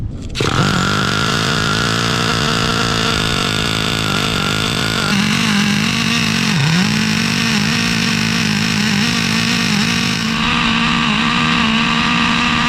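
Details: Traxxas Revo 3.3 nitro engine on first start after fitting a new THS Racing tuned pipe (stock header had cracked): shrill note wavers and sags at high revs instead of holding clean. No exhaust leaks seen; it sounded fairly bad, owner plans to richen.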